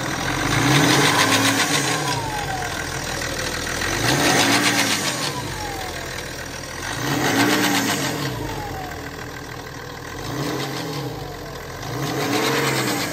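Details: 2012 BMW X5 30d E70 diesel at idle with blips: a metallic rattle that rises and falls with revs. This is timing chain noise; this engine has chronic timing chain failure starting at 250,000 km.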